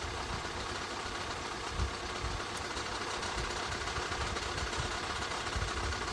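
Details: 2013 Skoda 1.6, 105 hp, at idle: a loose, irregular light knocking about twice a second over a busy hiss. Engine knocking noise at idle, cause unclear.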